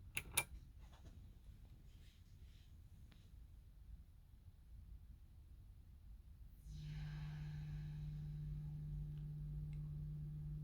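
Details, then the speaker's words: WA73 preamp with output gain cranked very high, switched off: near silence, then a falling hiss sweep like a high-pass filter coming down, settling into a remaining steady low buzz; odd shutdown noise, cause unknown, not a problem in everyday use. "So it's like a high pass filter slowly coming down and releasing a lot of noise, and then there's a buzz that remains."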